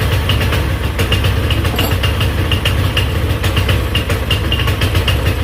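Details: GY6 Chinese scooter engine, damaged by too much oil, on a new test spark plug, held at full throttle: weak, uneven low chugging with scattered ticks; dies immediately when released. Owner says badly low compression, top-end rebuild needed.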